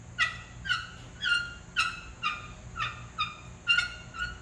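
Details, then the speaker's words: First-generation 4x4 GMC S15 Jimmy / Chevy S10 front brake job: sharp squeaks as caliper is slid by hand on dry slide pins, metal on metal, preventing caliper from centering. "that is dry you can hear by the metal on metal squeak so the idea i'm sure you already know but the brake caliper is supposed to be able to slide on this thing and center itself"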